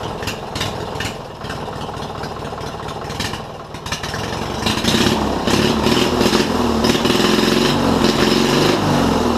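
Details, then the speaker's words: Mower recovery build with new open exhaust pipes: loud engine climbs in speed but sounds strained and ragged; hesitation revving up, owner plans idle adjustment. "i think it sounds pretty decent for now but i'm still gonna have to do some idle adjustment to it because it's still having a little bit of problems revving up higher"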